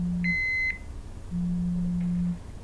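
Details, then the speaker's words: Multi-gas detector powered on before confined-space entry, ahead of bump test and fresh-air calibration: two short high beeps then a longer low buzz as the pump starts and it shows sensor IDs, last calibration and sensor expiry dates; normal startup self-check beep. "so the detector and the pump comes on as you can hear it gives you dates it's checking the sensor IDs it tells you last calibration dates"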